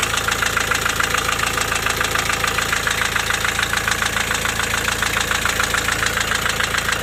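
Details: Diesel at idle with an intermittent knock, hot or cold. Owner first suspected a turning valve shim, also wondered about piston pin or rings, then adjusted the valves; knock persists: sharp evenly spaced knocking that never lets up, piston slap.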